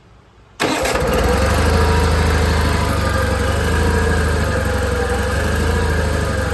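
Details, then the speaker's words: Old John Deere 318 garden tractor at startup: idle slowly rises and falls every second or two, needs partial choke; fueling issue, surging from a clogged carburetor idle jet. "Yeah, say she didn't run too bad besides, you know, have to pull the choke out a little bit. So, we definitely got a a fueling issue going on with that car, but we can uh we can take a look at that."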